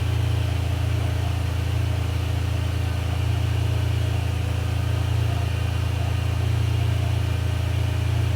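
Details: Ferrari 456 GTA V12 after major service, warm idle with cooling fans running while climate control is off, confirming earlier complaint that fans only ran with heater/AC on; deep, smooth, even idle with steady fan rush; check engine light still lit.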